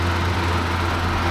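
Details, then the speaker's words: Triumph Spitfire with reconditioned D-type overdrive just fitted, cold engine on choke, third gear at about 20 mph with overdrive engaged: steady even low drone, no whine, clunk or slip; overdrive working normally. "I'm just going to lob it into third gear, bring up the speed, 20 miles an hour, engaging overdrive, just bring up the speed a bit more. There we go, overdrive working."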